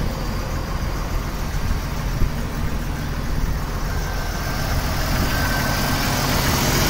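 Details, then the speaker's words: 1995 Jeep Cherokee XJ idling after installing 4-port injectors: steady low idle with an occasional small hiccup, slight stumble but no steady miss; stumble predates the install but is less bad, ECU still learning. "a little bit of a misfire there but it is learning a little stumble that stumble was there before though that stumble definitely is not as bad it does sound different there's a little bit of a different sound to it"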